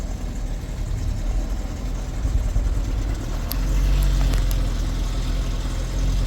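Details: ECOTEC engine that died while driving after running nearly out of oil, restarted after refilling to about four quarts of muddy oil: low uneven lumpy stumbling idle; engine damaged from oil starvation, cam correlation codes suspected.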